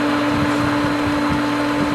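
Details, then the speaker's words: Pool pump at pool opening, as a skimmer valve is opened into winterized lines full of air. A steady motor hum under a loud rushing hiss as air comes through, while the pump works to regain prime. "I don't know if the camera makes it out but I can hear the air coming through this"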